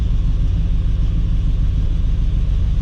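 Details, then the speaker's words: LS-swapped Chevy S10 Xtreme with a freshly built engine at steady idle: a heavy, low droning rumble with an uneven throb. The owner suspects a transmission problem or possibly an exhaust leak and rules out the converter. Cause unconfirmed. "got a real heavy vibration it shouldn't have that i don't know i mean the motor is is fresh so i don't know i just don't know what it would be"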